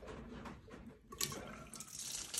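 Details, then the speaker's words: Gas-fired steam boiler in cold basement, overfilled with water: uneven splashing and trickling as water drips from the opened 15 psi relief valve; boiler needs draining. "she's full full of water that's just dripping from there"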